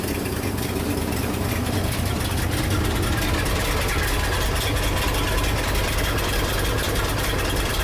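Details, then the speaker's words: 1976 Ford F-600 dump truck V8, new carburetor still being adjusted, choke opening as it warms: deep, steady loping but even burble with no misses or knocks; smoky but normal idle. "Dude, other than the smoke, the truck's actually running pretty good. It sounds decently healthy."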